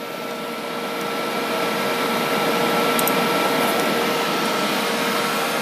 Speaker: this is that loud I may have to shout on the plus side this riff fan is really blowing out the air